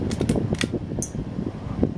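Low soft whir with a few light clicks, blades turning evenly at medium speed; fan sounds fine.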